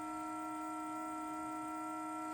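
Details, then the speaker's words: Car parked with engine not yet started at minus 3 °C: steady horn-like drone at one pitch; happens only in cold; owner was told it relates to the exhaust, origin unconfirmed. "i have no idea what that is but it's only happening because it's cold out here it's minus three today they tell me it has something to do with the exhaust"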